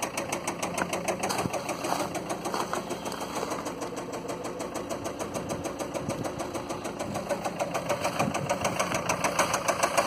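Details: Land Rover Freelander 2 diesel at a rough idle with sharp, regular ticking about 200 a minute and lots of diesel smoke; harsh diesel knock, owner suspects bad injectors.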